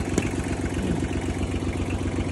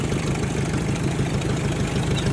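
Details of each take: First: 1956 Ford 800 tractor bought at auction with new carburetor and clutch after sitting outside about a year: even starter chug, then louder uneven cranking without firing as the carburetor floods with gas; no start, flooded carburetor. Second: 1956 Ford 800 petrol tractor, bought at auction, sat outside about a year, with new clutch and carburetor, first start on choke: steady low, even chugging with no misses or knocks, idling on its own; normal idle.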